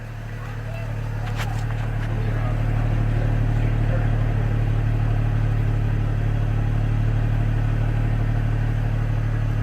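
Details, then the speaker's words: 2004 GMC Envoy 4.2L, about 255,000 miles, after clogged oil pickup fix and harmonic balancer install: exhaust holds a steady, deep, smooth idle with no misses or ticks, oil pressure 65 psi; healthy idle, top end slightly noisy, probably from dry start. "That sounds really smooth. Really smooth. I like that."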